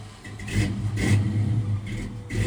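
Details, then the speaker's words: 1967 Ford F100 with carbureted small-block Ford V8, before ground-up build: lumpy idle with a few crisp throttle blips rising and settling evenly, no knock; sounds good, runs healthy. "Carb life. Sure sounds good though."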